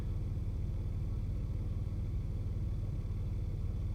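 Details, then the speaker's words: 1995 Nissan Maxima petrol V6, heard from inside after revving to 7000 rpm: steady, even low idle rumble, RPM needle steady, no shaking. Normal smooth idle, though the intermittent rough idle could return. "are PM needles not really moving the car is idling nicely nice and smooth in here no shaking"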